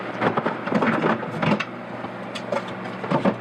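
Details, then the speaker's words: Honeywell HCM-6009 humidifier: steady low electrical hum from the fan motor amplified through the plastic housing; the hum stops when the motor is switched off while the fan keeps spinning. "IMing is much more audible and we can see it's the motor because if I turn it off the fan is still turning you can feel wind but the humming Goes Down"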